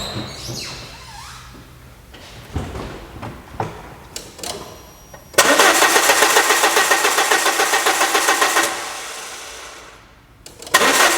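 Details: 2000 Peugeot Partner brought in as crank no start, ignition coil already replaced: starter spins steadily at about four turns a second for three seconds and the engine never catches; ECU isn't seeing the crank sensor signal.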